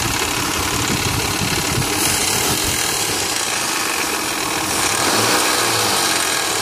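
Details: 2001 Mitsubishi Montero Sport 3.0L 4WD automatic, 225,000 miles, cold start idle recorded from engine bay: light fast clatter about four per second over engine, gone after warm-up; slack timing belt slapping, tensioner pulley left disconnected after water pump job.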